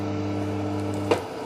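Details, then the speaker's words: Homemade amplifier converted to class AB, steady low buzzing hum from the speaker cut by a click, with unstable fluctuating DC offset; leaky DC offset suspected, power supply ripple hum. "di sana ada dengungan kecil di speaker."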